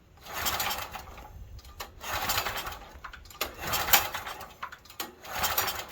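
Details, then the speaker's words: Stanley 8000 W generator bought used and left sitting four years, after fuel reached the carburetor bowl and the filter was judged okay: repeated pull-cord bursts every second and a half, each dying without firing, cranking but no start; starting fluid is next. "So we'll get a couple more pulls, and after that I'll try a little starting fluid again."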